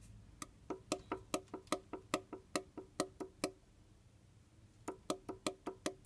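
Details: VW Golf 5 1.6 BSF engine, 310,000–311,000 km, partly disassembled: connecting rod rocked by hand gives sharp dry clacks about two a second in uneven bursts; side play at the rod, noted at cylinder two, likely excessive.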